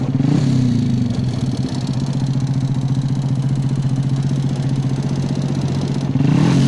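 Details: Engine idling with a low throbbing note and a dry rattling clatter every few beats, steady throughout; piston slap suspected, not confirmed.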